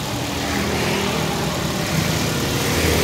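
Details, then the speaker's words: Car that stalled after flood water entered intake manifold, first start after repair: engine settles to steady, even idle with slight rev rise, some smoke from the rear, no knocks or misses; runs normally again. "normal lagi Brother mantap Radar Nah teman-teman jadi disini mobil sudah berhasil ya Saya nyalakan"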